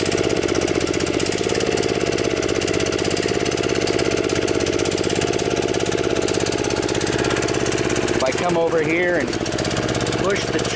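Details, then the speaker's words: DR TR1 walk-behind trimmer, Kawasaki 6.75 hp, carburetor gummed up from storage: it idles but won't rev, and revs to a steady busy drone only with the choke on; starving for fuel, plugged main jet suspected. "Seems like it'll idle okay. It just won't rev up. So I think that what that's telling me is the main jet inside the carburetor is plugged."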